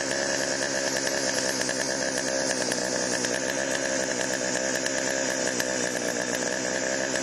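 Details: Chainsaw after Texas ice storm: steady even high-pitched idle, no surging or missing; healthy, could be fine-tuned but ready to go, bar oil pumping.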